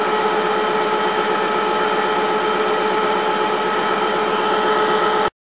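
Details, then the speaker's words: Restored 1950s-era air compressor, connected to a second tank: constant even hum at steady pitch with quiet airy hiss of air filling tank, very quiet, running smoothly. "camera probably makes it sound like but that's very quiet hear the air going in and it's pretty much about it"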